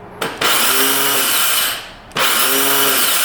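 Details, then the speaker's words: 2002 Yamaha Warrior 350 quad, bought as a non-runner; electric start gives two short bursts of high free-spinning whine with no cranking beat, starter spinning in reverse and not grabbing the engine. "Electric start does not work. Oh, there we go. Oh, it doesn't grab the engine though."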